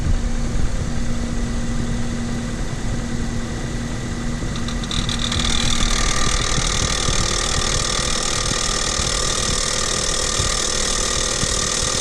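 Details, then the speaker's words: Renault Kaptur 1.6, one year old, 25,000 km, after timing cover resealed under warranty, cold start after overnight parking, noise from right side of engine: steady hum then loud sharp whistle with grinding, gone once warm; cause undetermined, dealer to diagnose. "есть посторонний звук на холодную из двигателя с правой стороны пока двигатель не прогреется звук громкий отчетливый"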